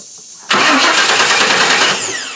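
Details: 1998 Chevy truck, code P1351: starter cranks in a fast, even churn for about a second and a half without catching; no pulse on test light even with coil connector unplugged, ignition module failed and replaced.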